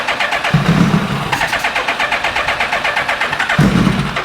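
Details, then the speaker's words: 2000 Suzuki Hayabusa with a possibly newer (about 2002) engine, after new coils, code C21 (believed airbox sensor), low on fuel: even cranking about four pulses a second, no firing; crank, no start. "she still does not want to fire up and fire off"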